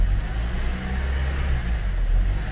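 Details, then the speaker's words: Honda CR-V 2nd gen with cable-type throttle body, warm petrol idle: low steady rumble swells and sags on its own with the idle rising then cutting off, no check engine light; idle hunting, throttle body dirt suspected. "ibig sabihin, no, idle hunting, tumataas sa minor, nagka-cut off."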